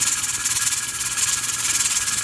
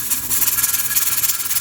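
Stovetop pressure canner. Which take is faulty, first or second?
second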